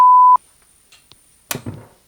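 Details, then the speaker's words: Commodore PC35-III (286 AT clone) power supply tested without load: one short, sharp high beep at switch-on, with the fan not starting; it reads 5.1 V and 11.8 V, and the owner suspects a fan controller, cause unclear. "And it made a very nasty beep. And we've got 5.1 volts and 11.8. Not sure what that beep was."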